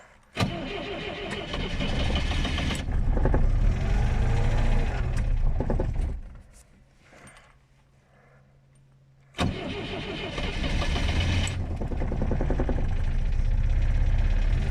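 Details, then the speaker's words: Moskvich 412 at about −15°C cranks long and slowly, gives two pops, pauses, then labours through more cranking before catching; a hard cold start. "признака жизни не дал два хлопка каких-то было тяжело"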